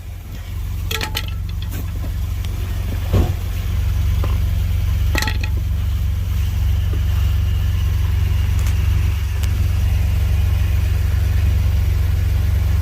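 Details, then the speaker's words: 2016 Ford Expedition at idle: a few sharp metallic pops like a hammer on metal as the gear engages when shifting drive to reverse and back; clunk on shifting, location identified under the vehicle, bolt involved, cause not confirmed. "the customer's complaint is a uh like a popping like metal on metal sound when shifting from drive to reverse reverse the drive"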